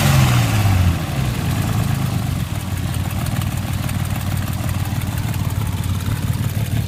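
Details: Nissan RB25DET after a quick rev, settling to idle with an uneven rapid clatter about four a second; stuck valves or an exhaust leak suspected.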